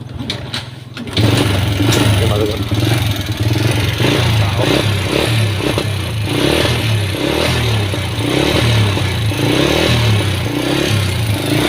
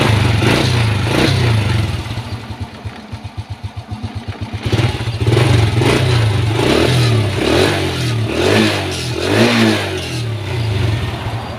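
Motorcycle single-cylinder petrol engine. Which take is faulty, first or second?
first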